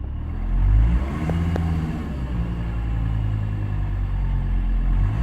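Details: 2000 Volvo V70 2.5 TDI 103 kW diesel at about 1000 rpm: low droning rumble with an uneven throb riding on the idle; strange abnormal sound, cause not pinned down.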